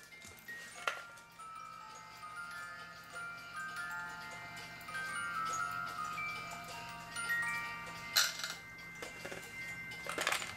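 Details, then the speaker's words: 1985 Black Forest Regula A-25-85 cuckoo clock with a two-tune music box, after movement cleaning: the clock ticks steadily but the tune is only a faint thin tinkle. The music box output is far too quiet. "As you heard, you can't really hear the music."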